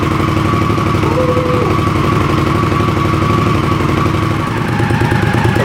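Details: Indian Scout V-twin at idle in neutral, first start after the exhaust install and refitting the fuel tank, radiator full, fresh assembly grease burning off the pipes: steady lope, even low thump, no knocks or misses, so the engine is healthy.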